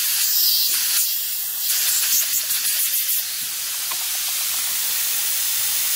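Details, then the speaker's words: Nissan Maxima fuel injector on a bench test rig at 34 psi fuel pressure, pressure regulator confirmed working: a constant high airy hiss keeps coming from the injector without fading, so the injector is leaking and bad. "you can hear that constant hit coming out of that injector there so that is a bad injector right there"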